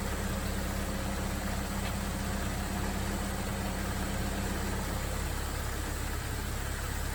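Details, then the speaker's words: 2000 Jeep Grand Cherokee after fan relay replacement, engine near operating temperature: steady low whoosh and hum from the radiator fan over a smooth idle, tone dropping near five seconds as the fan cycles off; healthy cooling fan after repair. "but we got the getting close to temperature TV kicks off hooray came on here at cycle up now we're winning"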